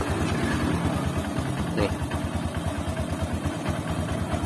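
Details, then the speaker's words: Honda CB150 Verza, about 2020, that seized after being run without oil; rebored with a 50 oversize piston, freshly refilled with oil: even low single-cylinder putter at idle, about three beats a second, no knocks. Normal smooth idle after rebuild. "jadi halus mesinnya yang lainnya tidak ada masalah cuman di boring doang sama piston nih"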